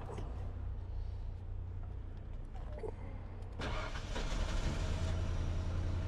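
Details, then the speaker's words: 1995 Ford F-150 with crank-no-start, no spark, after earlier coil, wire and ignition control module fixes: steady cranking then catches at about 3.5 s into even running, scope showing good square-wave signal; suspected bad connection or spread connector terminals. "now the truck's running and we have a good signal"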